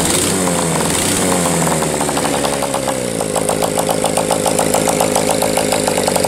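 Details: Old single-cylinder motorcycle running indoors, likes a little choke at first start: revs up then fires unevenly, skipping around twice a second; misfire, owner sees sporadic inconsistent spark and suspects a valve not seating fully.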